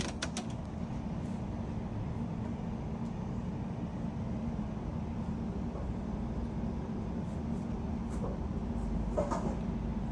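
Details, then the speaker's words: LG refrigerator LFX25960ST (ER F1, fresh food not cold) after the evaporator fan was replaced. Quiet, soft, steady whoosh of air with a low hum and no rattle: normal fan airflow. "Nice and quiet. All you can hear is just air. Sweet, beautiful air."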